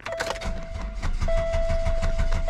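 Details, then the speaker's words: Car started with a broken catalytic converter removed, leaving a big hole in the exhaust and a homemade pipe; cranks and catches, then a loud rapid puffing blat rises with each firing pulse under a steady chime; exhaust leak. "now there's a big hole in my exhaust it's super loud and incredibly annoying"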